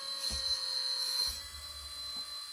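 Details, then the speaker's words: Hydraulic pump of a 1/14 RC4WD bulldozer, running after the tank was topped off (it had been cavitating badly when run low): steady high-pitched whine with even pitch and no surging, gurgling or chatter, normal pump operation. "So, I've got it all hooked up. You can hear the sound of the pump."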